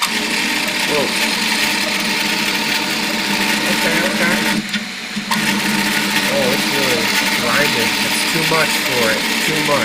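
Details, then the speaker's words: Piocreat G5 pellet extruder 3D printer, 1 mm layer height, speed raised to 200-300: harsh buzzing grind with chirping pitch sweeps as the extruder stepper stalls. Extruder stepper motor overload. "yeah that stepper I can hear it kind of stalling a little bit but it's still squeezed in and now oh I hear the Stalls"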